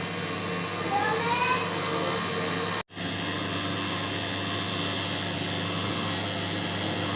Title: LG Microwave Oven Making Loud Noise | Microwave Oven Turntable Motor Sound